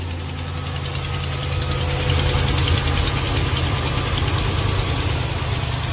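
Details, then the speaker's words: Ram 1500 Hemi, cold first thing in the morning. A sharp, fairly even tick about three times a second sounds on both banks, judged not a lifter or camshaft tick. Suspected exhaust manifold leak from a rear exhaust stud, unconfirmed until opened. "I can tell off the bat. That is not a Hemi tick. Y'all hear that? Ladies and gentlemen, that is a tick."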